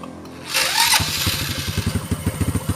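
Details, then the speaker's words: Honda Karisma motorcycle that is hard to start in the morning, uses too much fuel and blackens its plugs: after a starter burst it lopes unevenly and won't hold idle even with the air screw adjusted. It sometimes revs up or stalls, from a leaking carburetor diaphragm. "disetel juga k ini mau disetel anginnya setel angin kayak apa aja tetap enggak mau enggak mau stabil malah kadang ngabur kadang eh normal Nanti kadang mati sendiri"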